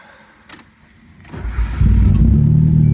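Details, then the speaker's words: Mazda Miata, first start after a timing belt and water pump install with timing corrected: cranks and catches, then an uneven, lumpy beat around four pulses a second. Owner suspects leftover extra fuel; after a spark check it ran fine. Rough running after start. "Oh, it started. It's not running good though, but it's running. I'm sure it's just gotta idle and get all that extra fuel out that was there."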